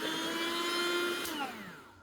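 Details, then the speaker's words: Nut-milk maker/blender that wouldn't power on, after capacitor replacement, lid fitted, tested under load: smooth high motor whine holding steady, then falling away evenly as it shuts off; motor runs cleanly. "lắp vào là đã chạy vậy là con này mình đã thay tụ là mình test có tải là chạy OK nhá các bạn nhá"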